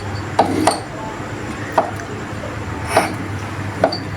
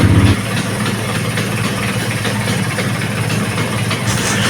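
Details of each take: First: Vespa PX150 repro engine, flywheel turned forward by hand: sharp irregular ticks about once a second, none when turned backward; kickstart gear clashing with its mating gear, which can wear out both gears if ignored. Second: Vespa PX150 (new PX repro) started after gearbox teardown to fix a gear clashing problem: small two-stroke settles into a quick, even idle with steady buzz, no rattles or stalling; normal idle after repair.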